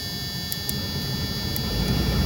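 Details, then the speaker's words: 2001 Tiffin Allegro Bus 35IP motorhome dash fan after 12 V repair: steady, even rushing airflow with low hum and faint ticks, running smoothly on high speed. "here it is running it's going to have to listen to the air air buzzer but so you can hear everything clicking and now go over to uh floor you can hear it blowing"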